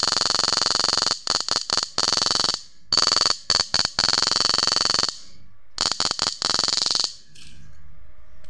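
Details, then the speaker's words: Susan 735MP PDC inverter after repair (PWM error, current drop, many blown MOSFETs) upgraded with SG3525 PWM IC, tested on 1000 W halogen load before raising frequency: loud steady high-pitched whine in bursts without buzzer, switching cleanly. "Suaranya juga kencang nih, padahal nggak dikasih buzzer ya guys ya, tapi suaranya sudah kencang kayak gini nih."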